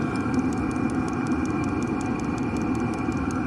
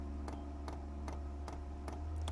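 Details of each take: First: 8kW Chinese diesel heater installed in a static caravan, heard from outside while running and heating; steady soft exhaust rush with light regular fuel pump ticking over it, even and healthy. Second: 8kW Chinese diesel heater being installed in a static caravan; soft regular ticks about two and a half per second over quiet background as the fuel dosing pump primes a line still holding air bubbles, fuel filter filling.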